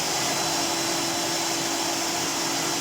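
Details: Trash-find Goblin AquaVac Multisystem 1000 wet-and-dry vacuum, serviced and refitted with a bag and filter, switched on: even, steady high whoosh from the motor with no grinding, rattle or surging, though it shoots foam out the back; normal running.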